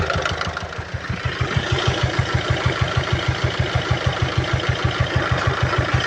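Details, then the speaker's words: 2012 Peugeot Partner B9 1.6 HDi 75 HP diesel, almost 216,000 miles, with a heavy oil leak and smoke from the oil cap. Sharp, even knock about three a second, louder than normal clatter; bystander wonders if it is exhaust. Knock resolved after topping up oil; source undetermined. "The engine doesn't sound too healthy on there. Did you put that oil in it?"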